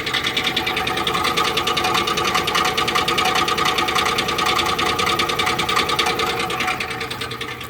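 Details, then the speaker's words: 2005 Chevrolet Tahoe Z71 heard from underneath, where the knock is louder: fast steady clatter about three beats a second over a metallic ring; owner suspects a rod, no engine shaking, no metal shavings in oil; cause unconfirmed. "Then I get underneath the vehicle and it's more louder underneath."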